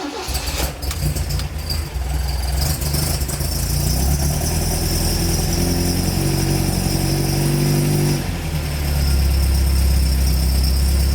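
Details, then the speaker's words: MGB after restoration, first run with the new exhaust; earlier a gap between exhaust and cylinder head. Engine cranks, catches, settles, then revs and drops smoothly with an even throaty note, similar to the old one but maybe a bit rougher. Runs normally. "blue still sounds very nice still sounds very nice i love the old town of the car but the new one is very good as well it's very similar um but it might be a little bit more rough"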